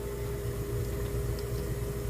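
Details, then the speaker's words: Bosch/Thermador dishwasher after controller replacement, on normal 90-minute cycle while filling: steady, even circulation motor hum at constant pitch, no rattle or grinding; pump running smoothly. "it's still filling so it'll start moving the water around while it's filling as it fills more water we'll hear it sloshing around water hitting against the inside of the door it sounds good"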